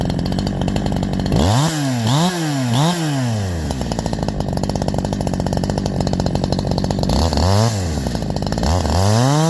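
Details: Holzfforma G372 chainsaw (Farmertec clone) after crankshaft seal replacement for a factory air leak that kept it from tuning, OEM carb fitted earlier; 24in bar, cutting hemlock: screams at high revs, dips into each cut and recovers cleanly without bogging.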